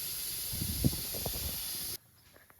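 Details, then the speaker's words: 1999 Harley-Davidson Fat Boy tire: a loud, steady rush of escaping air that cuts off abruptly as the inner tube leaks. It was pinched where the tire spoons dug in, or was a cheap, poor-quality tube. "I think like dad said, these tubes were just so cheap that whatever they just they just got a hole in them."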